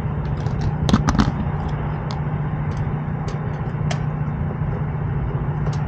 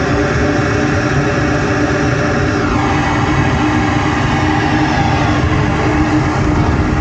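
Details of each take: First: Lennox rooftop unit with no heat, 48 degrees outside: inducer motor drawing amps and looking toasty gives a low steady electrical hum with no spin-up or airflow amid handling clicks; seized, locked rotor, shaft won't turn by hand. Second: Lennox rooftop gas heating unit with a no-heat complaint, cycled on with gas valve lit: steady low rumble and even hum, no odd noises; it works, though the motor windings looked hot and the motor may need replacing; normal running.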